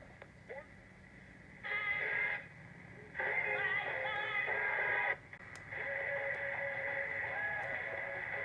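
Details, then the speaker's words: Transistor radio after new 9 V battery terminals, replaced electrolytic capacitors and troubleshooting: tuning brings in many stations in clear bursts with quiet gaps between them; reception is normal. "as you can tell he's picking a bunch of his station i'm pretty happy with this with this repair"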